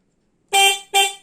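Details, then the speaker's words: Honda Karisma motorcycle with wiring rebuilt from scratch, horn tested with the key on. Two short, bright honks with a clean, steady tone and crisp start and stop; the horn works normally. "dari suaranya saja sudah kelihatan kedengarannya terus kita tes Belnya"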